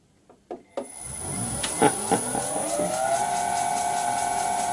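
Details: Vintage lathe motor on a newly installed cheap XYS-AT1 VFD replacing a 32-year-old Allen Bradley, bearings just oiled: a few clicks, then the whine climbs smoothly and settles into a steady, even hum by three seconds; running healthy.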